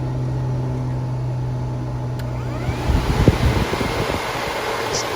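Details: DIY ice-cooler HVAC unit with a 12-volt fan: steady low droning hum with even pitch from the fan running, loud enough to drown out a nearby TV, excessive fan noise.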